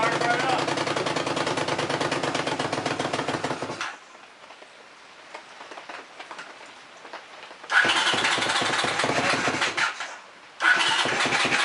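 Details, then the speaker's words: Honda CX500 motorcycle, first start attempt after fixing spark with the correct timing cam, with transmission fluid put in the cylinders; cranking catches into a ragged, uneven run, drops out, fires briefly again; hard starting, plugs possibly fouled. "I said it's possible I fled out the plugs. So, we might have to pull those out and clean them."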